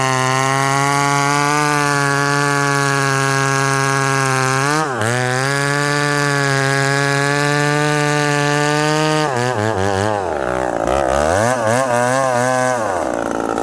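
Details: Ported McCulloch Super Pro 70 (70cc two-stroke chainsaw, possibly model 171): steady high screaming revs, then pitch sags and wavers when dogged into wood, losing pull; owner suspects limited 70cc displacement, not confirmed.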